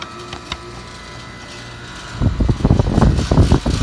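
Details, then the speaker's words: 2002 Payne HVAC outdoor unit kicks on with an uneven, knocking clatter instead of a smooth run; owner says it has always sounded this rough, unit is old and barely cooling, cause unclear. "I'm gonna start it up and watch your hearing out some people say it sounds rough it's always sounded this way as long as we've been here even when it's been working fine so that's just tired"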